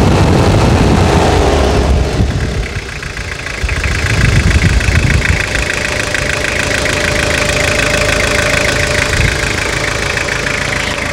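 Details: Toyota Hilux (1992–2001 generation) diesel after full restoration and engine rebuild: settles from a rough start into a steady clattering idle with even rhythm; healthy rebuilt engine running smoothly.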